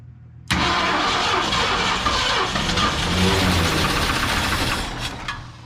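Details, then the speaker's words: 1969 Ford Mustang Mach 1 not run in about 30 years, oil not yet changed, first crank after fitting missing linkages and throttle cable; catches into a rough, uneven run with a faint tapping, a possible light knock. "I don't like the way it sounds it's got no oil or uh I didn't do the I didn't change the oil yet that sounded like a little bit of a knock well it's hasn't ran in 30 years"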